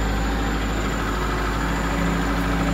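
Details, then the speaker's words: 2002 Kia Visto with unstable, rising rpm: after revving, the engine drones at a constant raised speed and never drops back to idle, rising again right after the AC is switched off. High idle from a faulty or dirty idle speed control valve. "Nah bunyi mesin itu tidak turun idle tidak"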